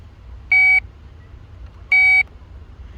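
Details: 2009 BMW 328xi with no power and no start despite a good battery; multimeter continuity test on a cable toward the trunk; clean high-pitched beeps about 1.5 s apart confirm continuity, while another point showed none, revealing the broken section.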